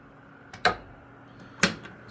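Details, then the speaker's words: Lasko 3150A 12-inch oscillating table fan, circa 1980-81, oscillating at low speed. Sharp, isolated knocks about a second apart over a faint hum as the head swings: oscillation knock from fiber washers worn by heavy use. "seems like the fiber washers have been worn quite a bit from use that's why you hear the knock and sound while it oscillates that's the only issue with these as they"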